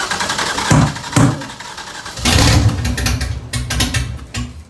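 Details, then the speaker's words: LS V8 swapped into an FRS, restarted after flooding, with the coil packs on one side reconnected after earlier running on four cylinders. It cranks and catches with sharp bursts, then settles into a fuller, even rumble on all cylinders, with oil smoking on the exhaust. "so I actually had the coil packs unplugged on that side so again they firing on four cylinders before that's why I probably sounds louder now"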